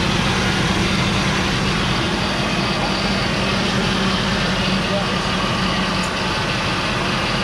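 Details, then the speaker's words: 2000 Ford Expedition V8 with replacement engine, idling after first start following a spell of sitting. Steady even hum with no ticking, knocking or misfire. Normal idle; only a transmission cooler line leak found afterward. "up first start remember the motor been sitting for a while it's good"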